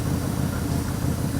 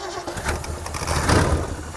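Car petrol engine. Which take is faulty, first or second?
second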